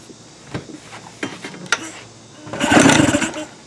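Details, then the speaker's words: Tracker (Mercury Marine) 9.9 HP outboard unused for a year, no-start: with starting fluid sprayed into the carburetor throat it pops briefly for under a second then dies, confirming compression and spark; problem is fuel/carburetion. "okay that actually popped real quick I'm gonna try it again I feel like it's starting to pop a little bit right there foreign all right so you can see it wanting to fire there so that confirms that we've got compression and we've got spark and our issue is carburation our issue is fuel"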